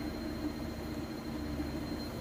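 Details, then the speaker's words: Whirlpool Cabrio electric washer in drain-and-spin-only mode (extra rinse button), at its fastest spin point: a steady, even hum with a faint constant tone and no thumping or banging. Stable, well-balanced normal high-speed spin. "I'm gonna bring it back here you can see nice and stable sounds great"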